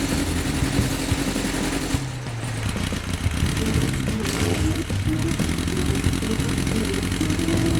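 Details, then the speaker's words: 2004 Yamaha XJR1300 (RP03J) started after about 3 weeks sitting, possibly not warmed up: stumbling, uneven idle that drops out as if running on 3 cylinders. Owner suspects a lean fuel mixture and plans a pilot jet change; after repair it revs well again. "Idling is disjointed for some reason Very sluggish... Some of the engines are not warmed up... Feels like it's running on 3 cylinders? Sounds like a V engine"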